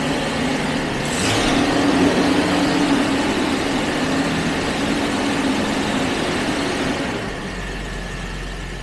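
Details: Jaguar XJ12 V12 being checked for a misfire during fuel pressure testing: idles with a steady, even hum and a faint whirr above it; normal idle.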